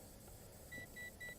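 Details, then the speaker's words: XK Alien quadcopter on its maiden flight in light wind: three short evenly spaced high beeps over faint hiss; owner guesses the constant beeping means one-key return is activating, though the drone only heads in his general direction. "okay now my guess is when I hear that constant beeping that that's activating the UH one key return so let's try that again"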